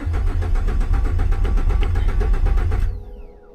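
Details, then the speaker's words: Turbocharged base V6 Ford Mustang, 63,000 miles: starter cranks in a steady chug for about three seconds with no firing; crank no start, sounds like no fuel, possibly a blown engine. "it's not even not even trying nah"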